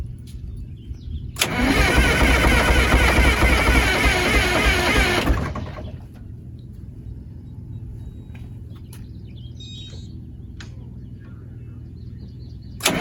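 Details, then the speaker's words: Motorhome engine, cold after sitting a couple days, usually sticks with white smoke: long loud cranking roar about four seconds, then uneven lumpy idle; possible exhaust leak noted; hard cold start, rough running. "What you're about to watch is probably the hardest cold start I've ever had to do."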